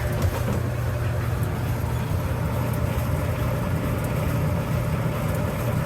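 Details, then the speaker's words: Clothes dryer after repairing a squeal, with large stainless flat washers added and the front panel off: steady, even low drum rumble with no squeal or thump. Normal quiet operation. "All right. Everything's looking good. Everything's nice and quiet."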